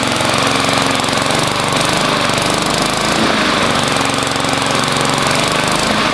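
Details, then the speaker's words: Lawnmower single-cylinder engine with a new 22-inch blade and no idle adjustment screw at the throttle: ticks over slow and a bit lumpy but steady. Idle speed is too low. "it idle's kind of low and there's no screw to adjust it screw around the throttle"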